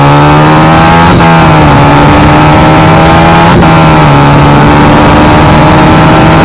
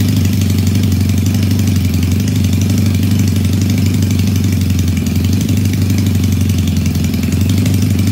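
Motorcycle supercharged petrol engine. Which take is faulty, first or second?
first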